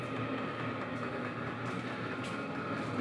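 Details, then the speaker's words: New portable diesel tent heater with glow plug, just lit: even steady fan whoosh with soft fast fuel pump ticking; already pumping heat out, running normally. "it sounds like it's already fired up so this is like I said it's diesel so it's got a glow plug and once the glow plug gets hot enough it'll start pumping out Heat"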